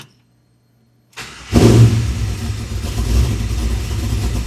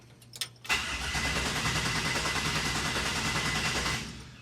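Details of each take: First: 1967 Chevy C10 with LS1 swap, after switching to a new keyed 12-volt source live during cranking: brief crank, catches at once, settles to steady, even low idle; normal start and idle. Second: 1967 Chevy C10 with LS1 swap, first try with newly wired ECU: starter spins evenly about 200 beats a minute for three seconds, never catches; crank no start because plug wires weren't connected to the coil packs.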